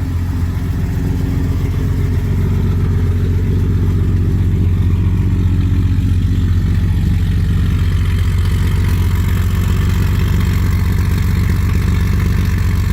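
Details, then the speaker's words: 1974 Ford F100 4x4, 300ci inline-six, automatic, cold at 31°F, coolant 58°: steady low idle with fast light ticking about four per second, cam audible while cold; valvetrain noise at cold idle, expected to fade when warm. "You really hear the cam right now that it's cold."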